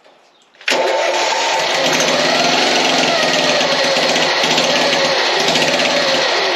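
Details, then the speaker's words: Mower-engine go-kart after carburetor cleaning, running with the new muffler, throttle not yet hooked up: quick catch into a loud, rapid, raspy bark from the little single; quieter than before but the muffler still isn't quieting it enough. "It's quieter. It's quieter. That's pretty loud still, but it's quieter."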